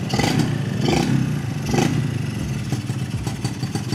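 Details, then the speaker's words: Yamaha 125ZR two-stroke, standard block, 125 carburetor, standard exhaust, mileage 29,000: crisp crackle picking up cleanly through quick throttle blips and settling back, no knocks or rattles; normal, running sweet. "Yang ni jalan exhaust standard je. Bunyi sedap."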